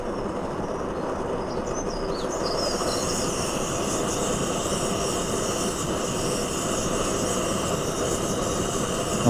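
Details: Trangia X2 multi-fuel burner after priming, preheating and opening the valve; even, steady hissing roar with no sputter or surging, running cleanly.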